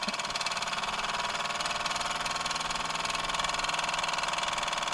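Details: Mamod TE1a live steam tractor on its first steam-up after new seals. Quick, even chuffing at about four beats a second with an airy hiss. Runs smoothly.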